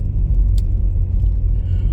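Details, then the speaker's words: 20+-year-old Audi A4 B6 Avant driving a week and about 300 miles after rear knocking repair: only steady low road rumble, no clunks or knocks from the rear over bumps; rear suspension sound. "strove fine no more knocking in the back as you can probably hear now um the car's driving like an absolute dream"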